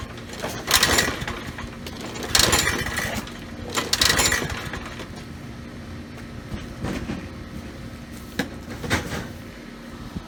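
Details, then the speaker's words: Troy-Bilt mower with Briggs & Stratton 675 series 190cc engine, curbside find: a few irregular pull-cord rasps with no firing; no-start, spark to be checked next. "really nothing there at all so let's first thing let's check for spark"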